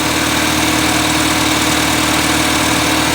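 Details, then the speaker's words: 1979 210 (4-cylinder, carbureted) after choke fix, idling high with air cleaner off: uneven, lumpy stumbling idle; steady misfire, pulling wires 1 and 4 kills it, 2 and 3 do nothing. "There you go. says that on misfire. It is a steady one."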